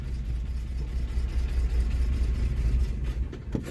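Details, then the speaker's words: Automatic classic car at auction, 257,000 km, rusty, possible exhaust leak: low, lumpy idle with an uneven beat that sags and stumbles until the engine dies; suspected to be carbureted rather than injected, cause unconfirmed. "oh just died maybe it is carburated yeah it's acting carburated"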